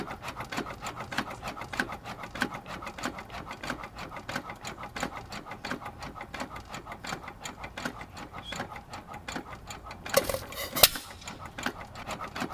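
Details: Light steady ticks about 90 a minute, a sharper thump near the end, as a 102-year-old, largely original, never-rebored hit-and-miss engine (1 1/2hp T.Eaton or 4hp Nelson Brothers) freewheels; cam knocks on the exhaust latch-out arm average about 30 between firings; normal.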